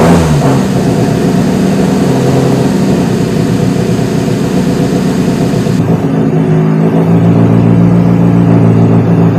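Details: Fiat Brio that had been misfiring on three cylinders, now fixed and regulating well: loud, steady low idle with an even beat and no missing cylinder, a touch rich; normal idle.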